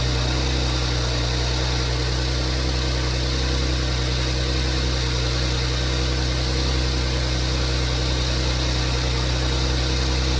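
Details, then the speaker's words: 2015 Porsche Macan first startup after timing chain replacement, BCM programmed: loud, even idle, steady low drone, no knocks, ticks or rattles; no check engine light, running as designed, though small coolant leak found. "but there's no check engine light on. Everything seems to be working as designed."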